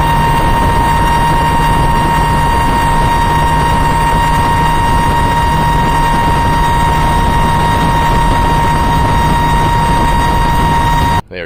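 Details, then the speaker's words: Mercury Verado 350 outboard running wide open with the top cowling off, so a loud, steady, high-pitched supercharger scream rides over the engine roar; normal supercharger whine, much louder without the cover's isolation. "are definitely loud when they're running wide open without that top cover it makes a big difference how much isolation that that cover makes"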